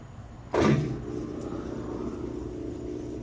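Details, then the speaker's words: Whirlpool (Amana-badged) washer on drain and spin test after service: a thump as the cycle engages, then a steady, even hum with no grinding or knocking; spin runs smooth and normal. "All right, she's spinning. Nice and smooth."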